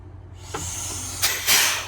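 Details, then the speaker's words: Old semi truck air brakes: sharp air hissing with each brake pedal press because the pogo stick is missing and the trailer ports are wide open, dumping air so the truck barely stops. "So somebody took the pogo stick off it. That's what that noise was. I got my air leak figured out. That's why it don't stop worth a [ __ ] That the ports are wide open for the trailer. So, it's just ripping air out."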